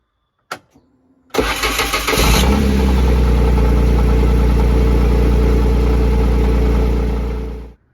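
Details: 2017 Kawasaki Mule Pro FX LE (Chery SQR372 engine), first start after timing belt replacement: brief crank, catches promptly, smooth even deep-toned idle with no knocks or misses until shut off; normal start and idle.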